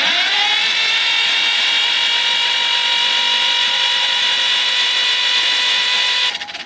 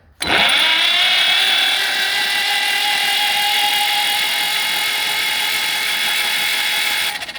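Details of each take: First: John Deere B tractor, sitting many years, cranking with spark plugs out after cylinders were cleaned out; high steady starter whine spinning fast and evenly with no compression beats; normal, faster cranking speed. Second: Long-sitting John Deere B tractor cranking with spark plugs out, Marvel Mystery Oil in cylinders: high steady starter whirr about seven seconds, engine not catching; slow cranking from rusty bad connection, nut glowing hot.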